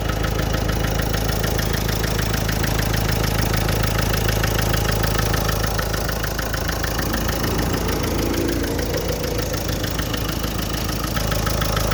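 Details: Nissan Micra idling with a steady, regular knocking (kat-kat) sound, about three beats a second.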